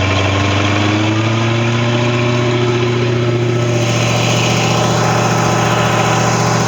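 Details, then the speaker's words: Long-sitting Tahoe boat engine after a breaker fault caused a no-crank and a new impeller was fitted: steady, even idle hum with a low smooth beat and no misses or knocks; starts and runs okay, normal idle. "But it starts and runs and seems to be okay."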